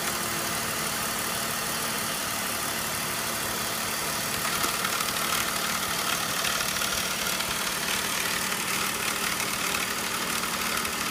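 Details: BMW E39 5 series 3.0L M54 at steady idle with a light, uneven rattle on top of the engine from a loose intake flap in the DISA valve.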